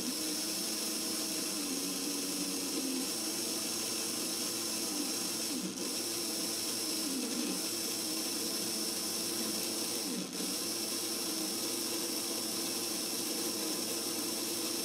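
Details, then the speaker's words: Older Hornby model train motor after servicing of commutator and brushes; smooth, steady high whir at even pitch with no catching or rattle; brief jerkiness earlier came from loose test leads; motor runs cleanly. "I sounds sweet that's one sweet money motor"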